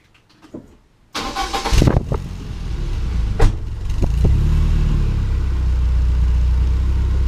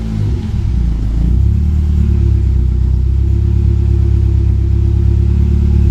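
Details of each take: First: 1995 BMW E36 318i after fitting a new aftermarket rear exhaust section in place of a rusty one: cranks, catches and settles to a low, even, quiet idle with no puffing or ticking; exhaust sealed, no leaks. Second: 1995 BMW E36 318i at idle with rusted rear exhaust section and tailpipe end missing: loud, deep, raw unmuffled boom; exhaust blowing, fixed by fitting a replacement rear section.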